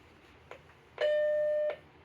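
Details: Macintosh Plus after restoration and RAM test: a couple of faint clicks in the speaker, then one clean steady mid-pitched beep under a second as it reboots and works. Normal startup beep.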